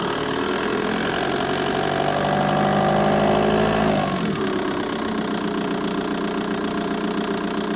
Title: Vw Bora 1.9 TDI ticking sound engine bay